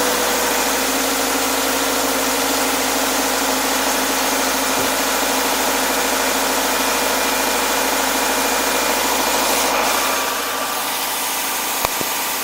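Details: Subaru Forester SJ (4th gen, FB25 engine), recorded outside: second start a few seconds after a cold start that knocked. Quick, clean start into a smooth, even idle with no knocks, like a new car.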